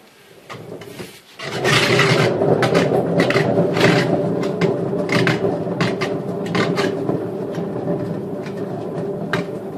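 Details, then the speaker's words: Daewoo washing machine, drum pulled out during disassembly: rough, gritty rumble with scraping as drum turns, sound of worn drum bearings before replacement. "Bueno antes de continuar les mostraré cómo suenan unos rodamientos en mal estado y ya verán como no les será difícil apreciar la buena música"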